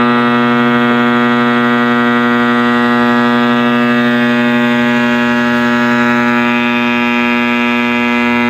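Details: 1960s General Electric black-and-white TV, back off, powered up after the tube was dealt with: loud steady hum with an unchanging howling tone on top, coming from the speaker; the audio side is still faulty, more than one issue suspected, cause not yet found.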